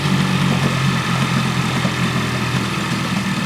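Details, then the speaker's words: Parsun 15hp four-stroke tiller outboard, cold start, choke pushed in to fast idle during warm-up: idle wavers and falters near stalling; fixed by pulling choke out a little more. "so it's dying now a little bit more choke and this is just while the engine warms up"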